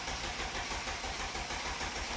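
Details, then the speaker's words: Mercedes-Benz CLS (W219) hard start: slow, labored cranking with even pulses about eight per second, reaching only about 135 rpm instead of over 200, no catch; battery and cables fine, weak starter motor diagnosed. "we have noticed uh one very important aspect the starting speed uh was no was lower than what it should exactly be"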